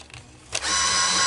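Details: Coinco BA30B bill validator after belt change and reassembly: a short, even motor whir of under a second pulls the dollar bill through cleanly, with no slipping, grinding or stutter; normal bill transport.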